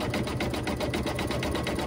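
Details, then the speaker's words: Embroidery machine stitching quickly at about six strokes a second, with a faint thin squeak on each stroke that the owner says has been getting louder despite regular recommended cleaning and maintenance. The cause is not found, and the owner says it needs to go in for service. "something doesn't sound right that little squeak is getting a little louder which i know i've been saying for how long now that it um it's gonna have to go in for service"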